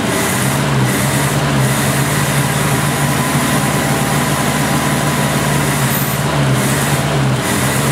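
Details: 1970 Opel GT sat about 30 years, after carburetor change (Solex replaced, manual choke), new points, new Bosch Platinum plugs, choke fully open: steady low idle with faint irregular stumble; slight engine misfire, feels a little rough, cause unconfirmed.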